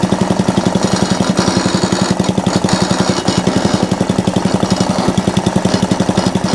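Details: Atco Balmoral cylinder (reel) mower running with the cylinder engaged: steady rhythmic slapping about four times a second over the engine. Drive belt chatter, likely from a loose pulley; owner calls it minor.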